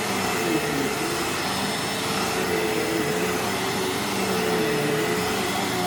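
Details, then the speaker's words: Used vacuum with bent plug prong: steady, even motor roar with smooth airflow rush, no surging, rattles or scraping; running healthy and picking up fine dust well. "wow this thing cleans so well that there's already a layer of fine dust on the inside of the bin not bad at all can't deny those results"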